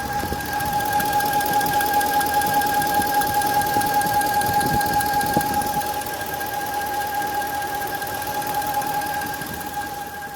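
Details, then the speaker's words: Turbo diesel truck idling with a steady high whistle that lingers briefly after shutoff, and valves louder than usual. The fitted PCV valve was the wrong, completely hollow part with no valve inside. "so there you go if you end up with these symptoms double check and make sure you put the correct PCV valve in because this one is not correct for this truck"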